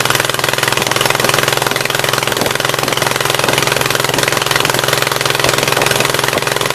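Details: 1976 Gravely 816 restarted after a dose of penetrating spray (Blaster): rough, uneven chugging about three and a half beats a second, the left side catching only now and then, a partial misfire.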